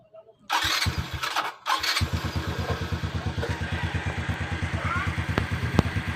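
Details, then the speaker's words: Suzuki Smash 115 motorcycle after connecting rod replacement fixed a knock from rod side play; starts after a couple of tries, steady even idle putter, no knock: normal idle, noise gone. "Ito na ang tunog final na tapos na napalitan ng connecting rod mga boss. Ang kanyang motor. Wala nang ingay."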